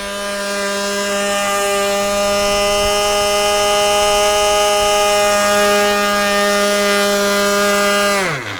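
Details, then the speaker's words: Thunder Tiger GP-28 nitro RC plane engine during break-in, needle about 3 1/8 turns (3 1/4 sags, too rich): high steady buzzing scream, even pitch, then shutdown; runs cleanly, slightly rich, not lean. "If you open it more than 3 1/8 turns, like 3 1/4 turns, it starts to sag. So that's when it's too rich. This shows me it's not lean."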